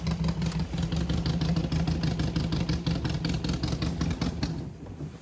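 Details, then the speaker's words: Abandoned 1964 Volkswagen dune buggy, carbureted flat-four with twin carburetors, just started and still warming up: rough, lumpy galloping idle with dropouts, sounding like only three of four cylinders firing; misfire, cause unclear. "That doesn't even sound like all 4 cylinders. I don't know what it sounds It's not, it's like 3. It sounds like a gallop."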